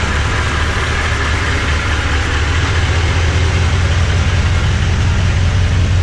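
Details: Toyota Tundra V8 with new TRD dual exhaust, camera on the ground as the truck rolls over: steady, deep, even burble with no knocks or misses; healthy.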